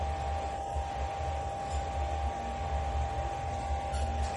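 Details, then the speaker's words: Shimizu household water pump after repairing its rough, noisy running: smooth, low steady hum with a clean mid tone and no grinding. "Dan seperti ini hasilnya setelah diperbaiki."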